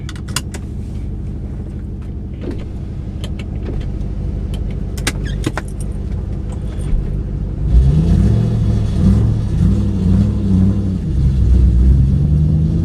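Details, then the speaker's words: 2008 Ford Mustang GT driving after MSD Blaster coil-on-plug coils replaced the five bad coils that caused a misfire; an even, smooth, lighter engine drone with no stumbling or misfire, plus road noise: misfire fixed, normal running. "It already sounds better. Sounds smoother already, lighter."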